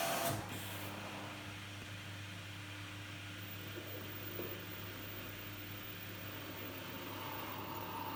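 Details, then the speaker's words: Dryer fan motor removed from an LG F1496AD5 washer dryer and bench-run: a low steady hum with a faint thin tone, labouring instead of spinning up freely; the fan is very stiff when it should rotate freely, so its bearings are seizing and it is being replaced. "So, it's very, very stiff actually, like it should be rotating freely, but it's really stiff. I will try and run it actually."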